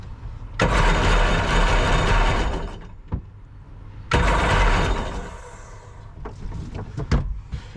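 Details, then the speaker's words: Jet boat engine, missing a hose to the firewall (owner unsure, thinks pressure hose): fires and revs roughly about two seconds, falls away, restarts and dies, loading up rich; choke stuck on from a kinked choke line. "choke is stuck on yeah look you can see see have the choke stuck I'm trying to push it in right now but it won't"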